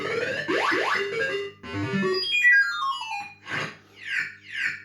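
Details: System 80 after a speaker change: clear, loud game tones and sweeping synth effects play with no buzz, crackle or dropouts, much louder and clearer than before; normal sound output.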